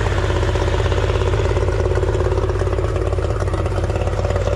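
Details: 1989 Yamaha 30 hp two-stroke outboard after exhaust seal repair, in neutral: strong, even burble at a steady fast idle, no misses or sputter; exhaust now exits only through the propeller, gasket leak fixed.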